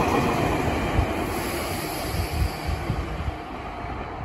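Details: Meitetsu 6500 Series (6506F) semi-express to Saya passing Sakyoyama station without stopping; heavy low thumps roughly four a second from a wheel flat spot.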